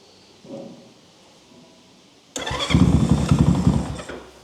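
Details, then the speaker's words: Zongshen Z190 engine in a Honda C50 motorcycle settles into a loud, fast, even putter with no misses or knocks; healthy engine, just very loud through the exhaust. "All right. Well, it's not quiet at all. It's really not quiet. I can live with that."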